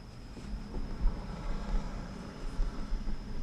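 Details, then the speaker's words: 2015 Lexus ES350 after readjusting and tightening the sunroof glass that caused a clunking noise over bumps: low steady cabin rumble, glass settles quietly with no knock or clunk; normal sunroof operation. "okay so what no more noise hey just this glass see that i sees all it doesn't make no noise"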